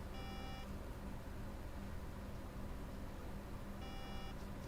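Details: MacBook Air A1466 that shows MagSafe charge but won't power up, drawing 700 mA with no green blink; two short high beep bursts about 3.5 seconds apart, a startup error pattern; suspected dead PCH or CPU, unconfirmed.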